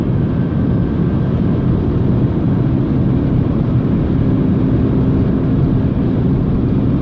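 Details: 2007 BMW E90 320i whining under acceleration: heavy low road and engine rumble with a faint steady whine as the car pulls; owner unsure whether it is the rear diff or the gearbox.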